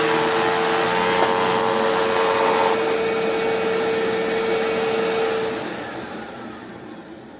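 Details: Newly acquired Sharp Twin Energy vacuum, on carpet: ear-piercing steady whistle/squeal over motor rush, fading as it spins down; owner thinks air pulled past some interference, source unknown, unsure if present before shipping.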